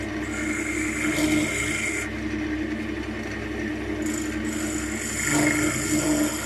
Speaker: better have some rather nasty [Music] chatter marks and that's what it is it's just causing chatter gonna leave some funky grooves